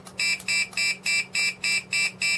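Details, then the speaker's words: E-bike anti-theft remote control alarm being tested after wiring up, before fitting to the bike: relays click, then a shrill electronic siren chirps in even bursts about three per second; alarm working normally. "you can hear the relays going the box I'm guessing this the lock the wheel and then you get the alarm"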